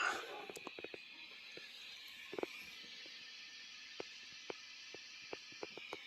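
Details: 1996 Peavey 5150 2x12 combo tube amp after replacing capacitors and resistors, tubes warmed up: only a soft steady hiss with a few faint scattered pops, no hum or crackle; repaired and idling quiet.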